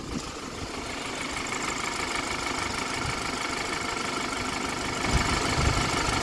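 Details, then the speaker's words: Car (former taxi) with misfire, after replacing an ignition coil: steady, even idle with smooth low rumble, no stumble, miss or excessive shake, stable with AC on; misfire fixed, engine running healthy. "So, yes, man. As you can see, there's no excessive shake in the vehicle. Looks pretty good. So, yes, man. It sounds really good as well."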